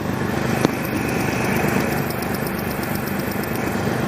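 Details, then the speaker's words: Running engine heard through a screwdriver held on a fuel injector like a stethoscope: steady, even clicking over idle with no gaps, meaning the injector is firing consistently. "you can hear that clicking and it's consistent that means that the injector is firing and it's firing consistently"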